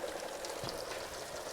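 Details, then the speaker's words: Mitsubishi Fuso FG with its original, reconditioned CP4 pump reinstalled, cranking: air pushed out with a continuous sizzling spray as fuel sprays everywhere from an unknown source; fuel spraying during cranking. "Sounds like there's a bunch of air getting pushed out of there. Oh, and it's pissing out all over the place. Whoa! That's not what we want at all."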